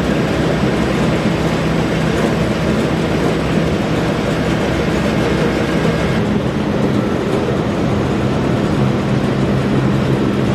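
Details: Massey Ferguson 40 combine (possibly 1996), sat 3 years, fuel and electrics refreshed; steady heavy diesel drone under loose rattling from the shaking machine body, pace unchanging, engine running evenly; normal running.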